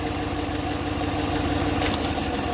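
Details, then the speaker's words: Engine at idle with a low, lumpy, uneven beat; unplugging cylinder 5's coil makes no difference, so cylinder 5 is dead and causing the idle misfire. "oh it's misfiring right now good it's still number five yep"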